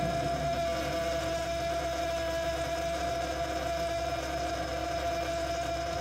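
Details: Frigidaire Gallery refrigerator still very loud after two repair attempts: loud, unbroken mid-pitched hum on one steady note over a low drone, audible from another room; cause not identified.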